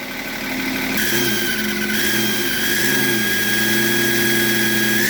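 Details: BMW E38 with M57 3.0 diesel after fitting a rebuilt turbo: steady high whistle over diesel rumble, climbing slightly with revs, same as old turbo; vanishes with variable geometry control valve connector unplugged, cause unknown.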